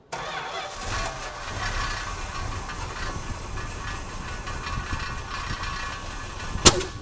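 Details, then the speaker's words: New-old-stock 1974 Plymouth Cuda, never sold, with 64 original miles; it ran out of gas and the fuel pump may not be pulling from the tank yet; the engine coughs and stumbles roughly, running lean from fuel starvation. "Woo! That's what happens when it gets a little lean. Doug, I don't think it's pumping fuel yet."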